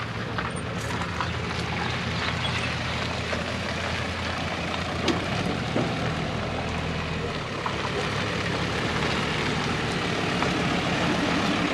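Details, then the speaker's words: Mercedes Sprinter 2.7 L diesel: soft steady diesel clatter at an even idle, no misses or knocks, outdoor background noise; normal diesel idle. "look at that little diesel purr it sounds like warranty claims that's good for now"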